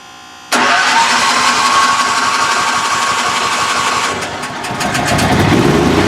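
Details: DuroMax XP15000HX dual-fuel generator, newly installed in a shed with exhaust extension, second start-up: quick catch after a short crank, then steady, even idle with smooth firing rhythm; normal start and run.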